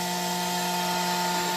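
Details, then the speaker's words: Grundfos SQ 3-inch submersible well pump (SQ190/SQ200, customer return) on bench test: soft start ramps up slowly, then steady even motor hum over rushing water hiss, valve fully open at full flow; running normally. "it ramps up nice and slow so right now we are completely open and we are flowing almost n gallons a"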